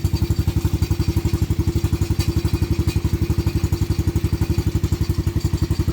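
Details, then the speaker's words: Venom Madix 125 quad (PZ20 carb), choke turned off, just started: fast steady low thumping about four beats a second with an uneven edge, still not right; owner thinks it may need to warm up, suspects something else wrong. "So, still doesn't quite seem right. See? Huh. Maybe it's gotta warm up a bit."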